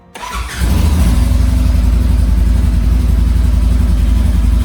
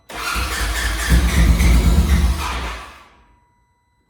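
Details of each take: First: Polaris RZR side-by-side after installing a kill switch, switch on and fuel pump primed: engine catches within a second, runs strong and even with no misses, then shuts off cleanly; normal start. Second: Side-by-side off-road machine cranked with the fuel pump relay pulled to mimic a kill switch: starter churns in a steady even rhythm about three seconds, never catches, no fuel reaching the engine.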